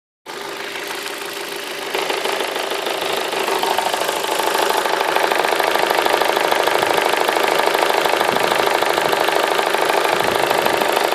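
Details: Vauxhall Astra H 1.6 petrol SXi, hot at tickover after a 40-minute journey: it idles with a hard, rattly clatter that sounds like a diesel; the cause is undiagnosed.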